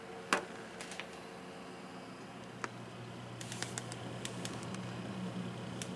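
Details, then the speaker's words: Hi-Phin AMD X2 desktop PC (AM2 dual core, 250GB SATA drive) under full load, camera beside it: soft steady hum with a few stray clicks, no hard-drive chatter; back fan loudest, top and front fans barely audible, running quietly. "so as you can hear even the full load you can't hear the hard drives clicking and working you can't really hear that on the only thing you really hear is the fan at the top and the fan in the front"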